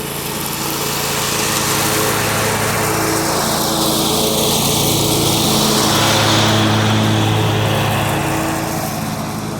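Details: John Deere 345 mower with a Kawasaki FD611V V-twin, about 490 hours, after first-stage revival repairs and a fuel filter change, mowing. Smooth, even beat at steady speed with no misses or knocks; the engine runs healthy under load and uses no oil.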